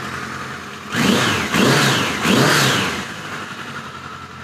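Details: 1986 Voyager XII 1200 after restoration, vacuum caps fitted, near-stock jetting (110 mains, 38 slows), still seems a little rich: three quick clean throttle blips, then smooth steady idle without stumbling or popping; normal start and idle.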